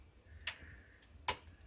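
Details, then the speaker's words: Kenmore refrigerator/freezer just after a new defrost timer was fitted and turned manually into defrost. Two sharp ticks sound over a faint sizzle as the defrost heaters warm up, which is normal defrost operation. "we should also be able to hear the sound of the defrost heaters going let's see if we can hear that yep you hear that this is some of the heaters going back in there"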